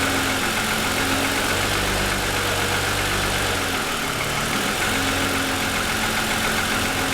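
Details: 2007 Lexus ES350, parked, hood raised, cold idle for ~10 minutes after start: loose hollow knocking three to four times a second under engine note; owner says piston slap, worsened over 2.5 years.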